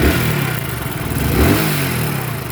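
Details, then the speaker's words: Hero HF Deluxe BS6 motorcycle, about 7000 km, revved with a dry rapid clatter over the exhaust note; loose timing chain noise, runs oddly, to be fixed by opening and correcting timing. "अगर इसकी timing मिट्टी आवाज आ गई है एकदम मैं आपको start करके इस का सिक्का रखना चाहूंगा अकाउंट में जरा सा कि यह कितना गंदा बात कर रहा है"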